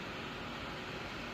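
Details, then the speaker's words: RX580 graphics card whose fans weren't spinning, fan wired direct; manual fan speed raised from about 63% to 100%, temperature 27°C; even airy whoosh growing louder, no ticking or scraping; fan spinning normally. "ยินเสียงพัดลมมครับเสียงมันดังขึ้นอ่าเห็นมั้ยครับเนี่ยตอนนี้63%นะครับอ่าเราเร่งลอกให้ขึ้นเอา100เลยนะครับถ้าเกิดรเนี่ยมันพัดลมต้องดังมากขึ้นนะครับเพราะว่ามันหมุนแรงขึ้นนะครับ"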